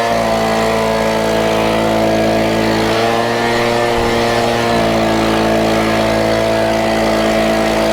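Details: Stihl BG50 handheld gas two-stroke leaf blower, just started after a full-choke rope start: a steady, even high-pitched drone holding constant speed, no misfires or surging; sounds good and is running healthy.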